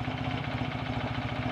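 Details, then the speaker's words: Rebuilt BSA A65 twin at hot, slow tickover, oil pressure warning light off: slow, even twin-cylinder thump with a steady beat and no knocks or rattles; normal hot idle. "here we are on a slow tick over with i promise you a hot engine and the oil pressure light is off"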